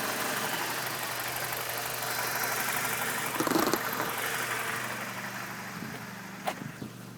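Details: BMW E46 N42 four-cylinder petrol engine idling, recorded up close with the MAF unplugged: uneven, lumpy beat and wavering speed with no clear knock. Rough idle still very bad.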